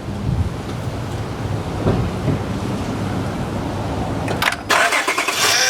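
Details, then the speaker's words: 2006 Honda Odyssey EX-L, new power steering pump just fitted and filled, engine started briefly: thin high-pitched whine over engine; air trapped in system. "I did fill this up but it's going to complain and I just turned on for a little bit you'll you'll hear you'll hear that that complaint it's a very distinct sound"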